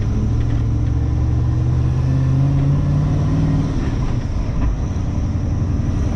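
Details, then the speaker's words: LS1 V8-swapped Nissan Patrol cruising in fourth gear after exhaust leak repair, very quiet; a thin steady high belt squeal is all that's heard above engine and road drone. "it's almost like driving a standard ss with a belt squeal all i can hear is the belt squeal once i get rid of the squeal it's going to be such a smooth car to drive"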